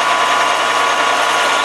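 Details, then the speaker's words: Drilling a deep hole in a spacer bushing on a lathe for a motorcycle frame: bit starts to work and squawk with a harsh, steady high-pitched chatter as chips pack the flutes and plug it, so it must be backed out and cleaned. "you can kind of tell when it's full and plugged you can probably you could hear it it started to work and squawk a little bit"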